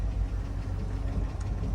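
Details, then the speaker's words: 5.3 V8 idling, not fully warmed: low steady exhaust rumble with faint uneven light clatter, typical 5.3 clatter; later a slight knock possibly piston slap suspected; no check engine lights. "I do hear a little bit of clatter here too."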